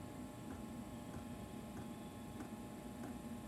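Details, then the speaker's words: Chinese diesel air heater installed in Sprinter van, first test run: dosing pump ticks about every 0.6 seconds over faint hum, fuel moving slowly; error code, line not priming. "So it was, I turned it on, and just like any good van install, an error code came up, and did a quick little look under the van, and the line was not priming properly, so it just wasn't getting the diesel flow."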